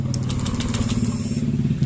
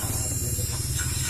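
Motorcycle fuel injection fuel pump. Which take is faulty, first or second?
second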